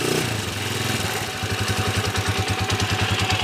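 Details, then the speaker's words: TMX155 motorcycle idling steadily and quietly after engine repair and magneto set replacement, no longer noisy as before (previously loud timing gear and leak); even single-cylinder pulse without knocking. "Okay Ayan na po tahimik na hindi na po kagaya kanina"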